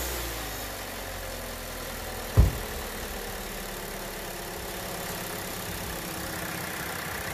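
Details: 2017 Hyundai Elantra with an intermittently flashing battery light, new alternator and year-and-a-half-old battery, just after replacing the negative-cable battery sensor: a short click, then a quiet, steady, even hum as it starts and idles normally; meter shows 14.2 V charging.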